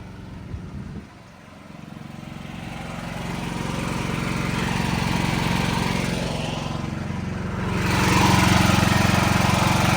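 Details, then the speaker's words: Building backup generator, usually run in eco mode, during monthly testing, fans pulling hot air over the engine: settles at low hum, then climbs and holds a smooth higher speed as load comes on; normal. "Most of the hot air comes out of the exhaust, but it's still pulling hot air over the engine and stuff, right?"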